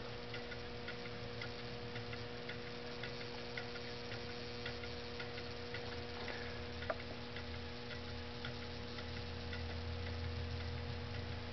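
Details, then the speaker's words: Homemade low temperature differential Stirling engine, on a cup of hot boiling water, runs 15–20 minutes: soft, steady ticking about twice a second with a faint hum; running smoothly. "with it just like this running on just the hot water it'll run for 15 or 20 minutes when you start off with a good cup of hot boiling water"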